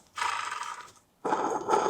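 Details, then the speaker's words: Flood-damaged Aston Martin Vanquish SDP, engine-bay pulley near the tensioner spun by hand with the mic held close: a gritty, rasping scrape that fades as it slows, from water that got into the pulley bearings. "The water's got into the bearings on these pulleys."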